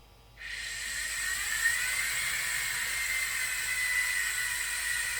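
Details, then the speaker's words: Bambu Lab H2D 3D printer with the hotend set manually to 150 °C, hotend cooling fan kicking on: a steady airy whir with a rough, wavering hiss on top; the fan bearing is failing, as confirmed by Bambu Lab, and the fan needs replacement. "But first, how do you know a hot end cooling fan is going bad? I set the hot end temperature manually to 150 degrees on my H2D and listened for the fan to kick on."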